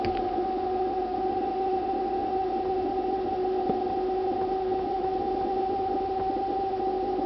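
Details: Refrigerator emitting a continuous high, siren-like double tone without pause for about two minutes; owner considers it abnormal, source not pinned down; the ventilation fan starts up afterward.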